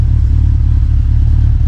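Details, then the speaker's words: Big-turbo Subaru Legacy first start, warming up, vacuum line reconnected, no resonator: deep even quiet rumble at idle with no hiss, puffing or ticking; normal idle. "definitely pretty quiet i'm curious if it stays quiet when you give it a little bit of a rev"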